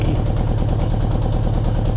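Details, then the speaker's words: 1975 Honda Gold Wing four-cylinder after carburetor rebuild with new jets: lumpy, uneven idle with an irregular thump, smoke from only one exhaust side. Rough running, one cylinder apparently not firing; the plan is to change the spark plug. "doesn't sound yet happy on all four cylinders but I'm I'm taking it great SM out of the exhaust comes one side I don't see the other any yeah there might be some still some what would oh maybe one it doesn't sound like it's firing nicely on four cylinders so one is missing"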